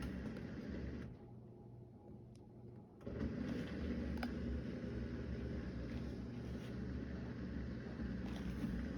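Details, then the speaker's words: Miele dishwasher after replacing failed intake valve (intake/drain error) with a GE valve: soft steady hum and rush of water filling evenly, no buzzing or chatter; normal water fill after repair. "you can hear the water coming through and it looks good"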